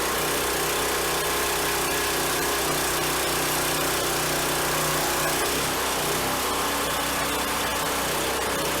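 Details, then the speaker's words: Brand-new replacement small gas engine on a Harbor Freight log splitter, fitted after the old one seized from Hurricane Ida flooding, with fresh oil and hydraulic fluid: steady even buzz, briefly pulls down as hydraulics take load, then settles; normal running. "i can't really complain about that engine started right up which we expected it's brand new"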